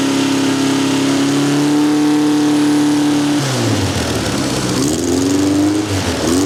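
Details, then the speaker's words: Vandiemen RF-85 with Pinto 2L engine, Weber DGAV 32-35 replaced by DGAS 38/38 carburetor tuned with AFR gauge to about 14.3: crisp even revs climb and fall cleanly, no stumble, pop or hesitation; normal throttle response. "It runs very smooth, and I'm very pleased with my DGAS carburetor, which is a 3838."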